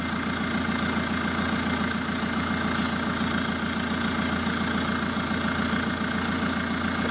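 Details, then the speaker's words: Renault 1.9 diesel, first start after engine rebuild, exhaust and catalytic converter not yet fitted, no coolant yet; even steady idle with soft regular beat, very quiet, no knocks or misses. Normal idle. "ale jak widzicie idzie bardzo bardzo równiutko bardzo cicho"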